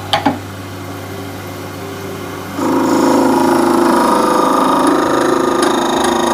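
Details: Wood lathe turning a shaving brush handle from hard wood: motor hum, then around two and a half seconds the tool bites with a loud ringing scrape from very hard stock; ringing is not a chip.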